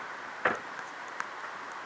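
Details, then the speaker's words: Okuma Azores 4000H spinning reel, drag knob turned near full lockdown: sparse, crisp normal detent clicks, though a flat spot elsewhere gives no clicking; the clicker is in the knob. "now you can hear the Indian click click click it should be click click click there we go now you got it"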